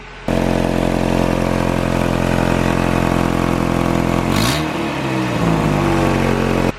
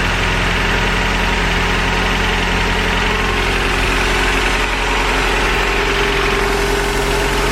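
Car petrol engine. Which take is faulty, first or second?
first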